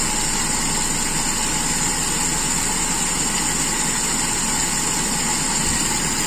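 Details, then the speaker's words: Toyota Kijang Super carburettor engine after raising idle: steady, even idle with a constant hiss over the top, no hunting or stumbling; air adjustment now set, smooth and healthy. "halus sekarang setelan anginnya keatur Iya sepertinya berubah"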